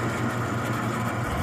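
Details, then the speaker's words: Brower seed/feed mixer with Ajax 3-phase 208/230/460 V motor on 220 V single-phase via phase converter, running the proper direction in exceptional condition: steady low even hum, no knocks, rattles or speed changes; normal motor hum. "The unit just hums right along with no irregular noises. This unit is in just exceptional shape, ready to run condition."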